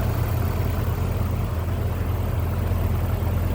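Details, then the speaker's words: 1986 Toyota Supra Mk III inline-six, idling with the hood open: steady, even low rumble with no knocks, ticks or misses; very smooth running. "Very smooth running, nice sounding car. Just let you take a listen to that."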